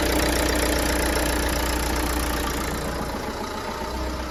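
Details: Mercedes Citan 1.5 dCi diesel, 86,000 miles, just after timing belt, water pump and fuel filter replacement: steady even diesel clatter at about 220 beats a minute with no misses or knocks; healthy idle.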